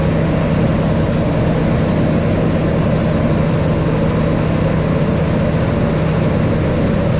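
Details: 1988 Chevrolet S10 Sport ZQ8, sitting since 1994, after new fuel pump, tank, sending unit, hoses, rebuilt throttle body, cap, rotor, plugs and wires: steady low idle hum at even pitch, no stumbles or surging; runs normally.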